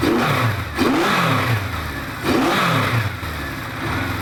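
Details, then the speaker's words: 1973 Honda CB500 Four, slightly worn engine, recommissioned after its carburetors were reassembled, warm with all cylinders about 80° within ±15°. A smooth, even four-cylinder note climbs cleanly on throttle blips and settles back; runs on all cylinders, with idle screws still to be set. "Sounds good, so I'm happy with it."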